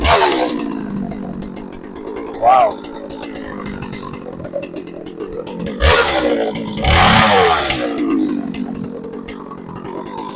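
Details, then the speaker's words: Shindaiwa 357 chainsaw bought at auction as non-running (came with no spark plug, no fuel), now running: settles to a light idle between three sharp throttle blips, picking up cleanly each time; runs fine. "Wow. Okay. Well, seems like we might have a winner here. Well, that's pretty cool. Was not expecting it to be that easy."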